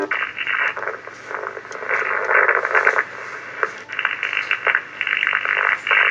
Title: Strange noise of vhf